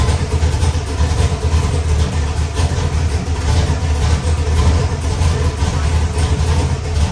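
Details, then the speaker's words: Ford 408 Windsor stroker small-block, carbureted, with a new performance camshaft, on a hot run test: a deep, choppy idle with a steady, rhythmic lope, even and strong throughout. Healthy running. "I know it's going to make some crazy ass power, but again, I want to fire it up and let you hear what it sounds like. This is one of my new camshafts for this motor."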